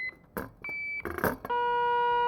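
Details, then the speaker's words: 1964 IME 84 transistorized Nixie desk calculator repair, testing its germanium transistors with an audio tester: short probing clicks, then a clean steady high tone matching the others; these transistors read healthy. "okay that's that's a short circuit sound just to recalibrate myself and there we go you know these all sound reasonably high"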